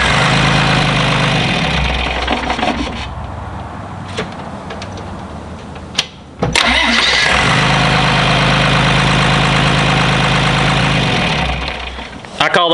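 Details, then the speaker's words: John Deere 2955 tractor diesel after installing gear reduction high-torque starter to overcome slow cranking from a loaded hydraulic pump; two starts without turning steering wheel, each cranking briskly and catching right away; normal cranking and start. "the first two starts you heard i was not turning the wheel that little starter is powering right through the pump and starts up like the other starter does when it's warm"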